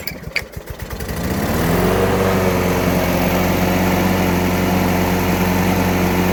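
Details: Craftsman Platinum 7.25 190cc Briggs & Stratton push mower after cleaning carbon from the cylinder head, with cleaned carburettor, new plug and fresh gas: a few pull-start chuffs, then picks up to an even, steady hum; runs smoothly.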